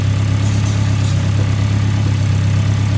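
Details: Newly fitted engine during running-in, about 107 miles done; an earlier slight misfire and boost issue was noted, with a lighter breather and no smoke. A deep, even idle with a smooth, steady throb and no knocks or misses. Normal idle.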